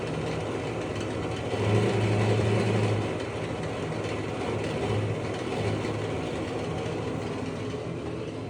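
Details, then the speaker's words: Basement blower fan, noisy for a long time and much louder today, on and off: loud rough drone with a low hum and faint wavering pulse; owner suspects worn bearing and axle, noise expected to worsen. "all right this has been happening on and off today it really got bad and uh ever since I moved in you know the fans kind of noisy and then today it really really got uh you know more noisy usually this is because the um bearing and uh the axle is getting worn down"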